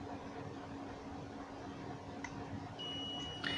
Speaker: the problem of continuous beep is coming here, we will repair it